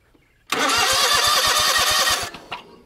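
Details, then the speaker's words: John Deere GT245 with 22 hp Kawasaki engine, after starter repair, ignition module part replacement and a smaller battery: starter whirs with steady compression pulses, about six a second. It never fires; cranks but no start. "well nothing's on fire yet let's give our whiff of ether and try again ether in the air cleaner not quite enough something else got to be worked on"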